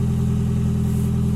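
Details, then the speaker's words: Toyota Yaris first generation 1.5 TS: deep, loud, raspy rally-like exhaust drone at steady engine speed after a sudden clack while driving, worst under acceleration and from 80–90 km/h; the rear silencer joint broke and leaks exhaust. "et d'un coup on entend un claque et ensuite est arrivé ce bruit ce bruit légèrement rallye on pourrait dire vous pourrez trouver sympa mais c'est un peu gênant à partir surtout à part lors des accélérations et à partir de 80 90 et devient très gênant"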